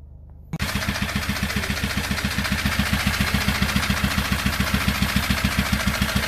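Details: SsangYong Rexton Sports 2018 diesel, about 119,174 km, before repair, right after firing: heavy, even banging three to four times a second over a rough idle, with white smoke. Severe knock from a broken crankshaft cap bolt that holed the block and melted piston 1.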